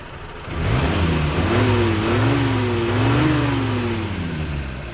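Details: 1962 Morris Minor with suspected ignition fault after breakdown, just after tightening a loose part: catches, runs, revs up and settles smoothly with no stumbling; sounds healthy.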